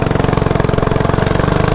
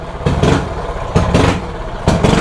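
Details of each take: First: Mini bike single-cylinder with race quarter-turn throttle after resetting carburetor idle screw and removing cable tension: quick, even putting about sixteen pulses a second, no stumble or bog, idle now perfect; bogging fixed. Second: Mini bike single cylinder with a 105 carburetor jet fitted: surges in ragged bursts about once a second and stumbles between them; jetting far too lean, rough running.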